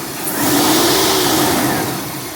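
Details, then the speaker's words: Chevy S10 with 4.3 V6 fully rebuilt after crank walk, earlier distributor trouble fixed: clean even revving, no knocks or misses, engine runs sweet. "The motor does run sweet."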